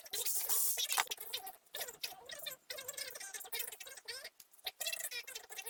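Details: Lexmark MB2236adw printer running: dry, scratchy grinding in rapid irregular bursts from the fuser area; worn gears or a dragging fuser drive are suspected, not confirmed.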